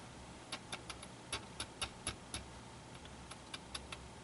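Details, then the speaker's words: Motorola 57X2 AM tube radio (All American Five): irregular sharp crackles and pops, several a second, over a faint speaker hum after cleaning sockets with deoxidizer; owner suspects a failing 50C5 tube, then swaps in another 50C5. "yeah I think I got a bad oc5 also I cleaned the sockets and I put some deoxide into them but I think I got a bad tube"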